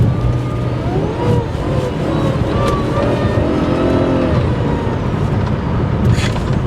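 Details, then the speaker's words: Supercharged Jaguar XJR bought as a non-runner, on a drive with battery voltage fluctuating: under acceleration the pitch rises then wavers and dips in a surge; owner suspects old fuel, the MAF or an O2 sensor, unconfirmed. "okay it surges a little bit it does surge a little bit like we we we that's all right though that's all right she may need some fresh fuel"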